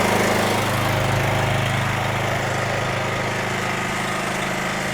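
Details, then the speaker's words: NorthStar gas-powered wet steam and hot water pressure washer warming up with choke eased down: steady, even small-engine drone with smooth low pulse; normal warm-up running. "Choke down a little bit. Get it fairly warm."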